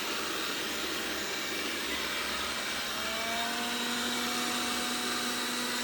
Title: Roborock S6 buzzing noise 01.11.2019